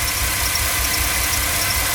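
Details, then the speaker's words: GMC Safari/Chevy Astro 4.3L Vortec V6 at idle with code P0305: uneven stumbling low beat as cylinder 5 misfires, before ignition tune-up (plugs, cap, rotor, broken wires). "oh I can feel it let's just go back out one more time you kind of hear it underneath there it's misfiring"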